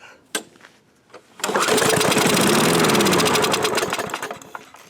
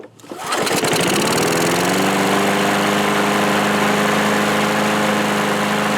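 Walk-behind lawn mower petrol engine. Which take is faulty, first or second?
first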